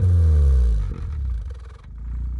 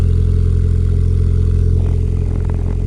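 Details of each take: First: Turbocharged Suzuki Swift ZC31S, limped home after breaking down: deep, rough exhaust roar on each throttle blip that breaks up and rattles as revs drop, with visible exhaust shake; abnormal exhaust noise, cause unclear. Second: Suzuki Swift ZC31S with freshly rebuilt turbo engine and TM exhaust on cold start, water temperature about 6–7°C, recorded at rear by exhaust: steady even low burble at idle, no knocks or misses, good oil pressure; normal cold idle.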